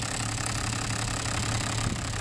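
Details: Toyota Land Cruiser diesel at idle with shaking and misfire: an uneven, lumpy clatter with a stumble in the rhythm. One cylinder, apparently number three, isn't firing because its injector gets no fuel.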